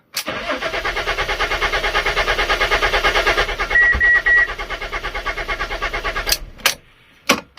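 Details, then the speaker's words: Fiat Stilo Abarth with new spark plugs cranks steadily at about three turns a second for several seconds without firing; crank no start, owner believes the ECU is defective and plans to source a replacement. "Nah, it does not start. So I'm not going to start it again, because I'm probably going to flood the new spark plugs and it won't start ever again."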